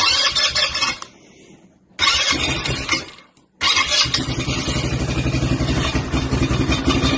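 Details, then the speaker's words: CRZ 150 quad cranks, catches and runs with a loud, raspy, ragged rattle over the exhaust note. The exhaust has come unscrewed, though the engine starts fine. "que tu entends c'est le pot parce que est dévissé il démarre très bien il y a pas de problème"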